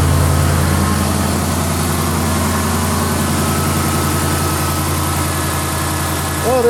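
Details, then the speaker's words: 2010-2019 Dodge Ram 5.7L V8 after water pump replacement and vacuum coolant bleed, near 200°, thermostat open: steady even idle with low rumble, no tick or knock; worn-pump noise gone, little air still bubbling back. "suck much down sounds good still got a little air in there for bubbling up that back back flow a little bit"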